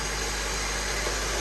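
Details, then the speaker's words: 2012 Honda Civic with new belt, alternator and voltage sensor, idling before warm-up and Liqui Moly engine flush: even steady hum with plenty of hiss, no knocks or ticks; normal smooth idle. "engine actually sounds pretty decent right now. There's no knocks or ticks or anything like that. It sounds pretty good."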